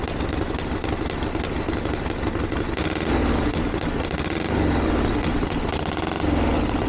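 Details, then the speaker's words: 1982 Harley-Davidson Ironhead Sportster after two years of tinkering, started on choke with timing reset; lumpy, even V-twin tickover through loud open exhaust, no misses or stumbles. Healthy idle, though owner feels it's slightly lean under acceleration and needs further tuning. "I can't believe that that's fantastic that's a lot better than it's ever been probably still needs a little bit of darling and it feels a little bit lean under acceleration but we got a basic starting point now to go from"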